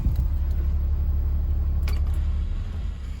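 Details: Warm idle of a Caterpillar 3126B diesel, 92,000 miles, in a 2000 Holiday Rambler Endeavor RV, after oil pump and bearing replacement fixed chronically low hot oil pressure. Deep, even rumble with no knocking or ticking; the engine sounds healthy.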